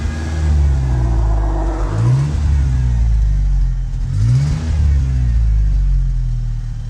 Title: 1986 Ford ranger 2.3l manual rough idle